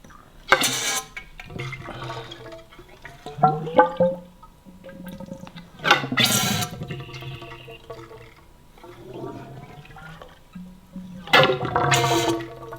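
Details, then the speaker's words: Kawasaki KLR 650 fork tube being pumped to bleed air after adding fork oil while installing a Cogent Dynamics DDC suspension kit; wet gurgling bursts with each stroke that fade; air trapped in fork oil, silence means purged. "you'll just basically listen when you're doing this, and you'll hear the air purging. When it becomes silent like this, you know that you have all the air."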